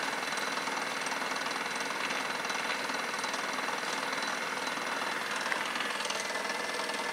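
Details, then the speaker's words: Bedini SSG single-battery pulse motor with the inductor choke bridged, so inductive flyback spikes loop through the circuit instead of the battery: rapid buzzing pulses with a hissy edge as the motor slows right down; pulse motor slowing from flyback current loop. "and I don't know if you can hear that but the motor is slowing right down and almost get guarantee using a lot more"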